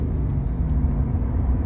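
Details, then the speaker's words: Remapped 200 series V8 diesel after proper retuning, previously very noisy: a deep, even, smooth V8 drone on the move with no injection rattle or clatter over the road rumble; runs healthy. "yeah just a nice smooth V8"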